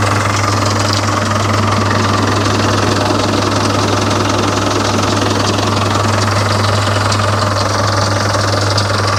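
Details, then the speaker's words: Volvo Penta KAD32 marine diesel with DP290 outdrive, which runs warm at full load, injection pump timing suspected retarded; even, steady diesel clatter at idle with a firm drone and no misses, running normally. "that's an unusual sound sounds like an engine running looks right to me"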